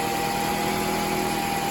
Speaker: well no more rattle sounds pretty good huh nice and quiet so